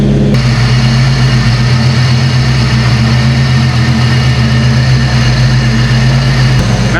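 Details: Foxbody Ford after replacing the distributor PIP, done to cure an intermittent cutting on/off: smooth, steady idle with an even low hum and no misses or stumbles; engine running cleanly.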